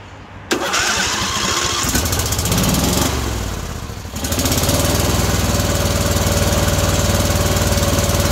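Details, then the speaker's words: John Deere D130 mower V-twin, during ignition coil replacement with magnet gap set by two business cards: after cranking it settles into a lopsided, choppy beat; only the right side firing. "right so we already got the right side going [Applause] [Music] okay and that size not going"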